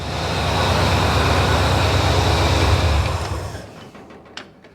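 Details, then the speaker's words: Carbureted AMC Jeep CJ5 after fitting a new replacement carburetor, vacuum lines blocked off, choke unhooked so it rises with throttle: steady, smooth power pull with no sputter or misses as it fades away; fueling clean, normal running. "did you hear how the power is smooth it doesn't sputter it just it just does"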